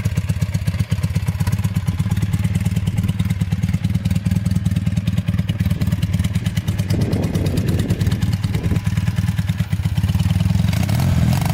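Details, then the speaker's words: Honda trike with swapped CM400 automatic twin, long stored, rusty tank: uneven lumpy low thumping that never smooths or picks up cleanly, boggy in gear; carbs leaking gas. "all right so it's kind of Boggy when you put it into gear so I don't know if it needs a carb clean or what doesn't want to start"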